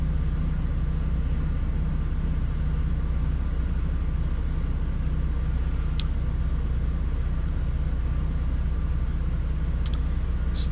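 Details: 2006 Hummer H3 with rough idle and stalling when slowing or stopping, engine still fairly cold (about 138°F), fuel trims just entering closed loop, MAF over-reporting: low steady idle rumble with faint recurring unevenness; rough idle, cause not yet found.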